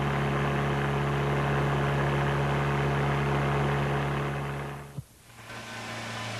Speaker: bullying produced by the engine sometimes has a similar frequency also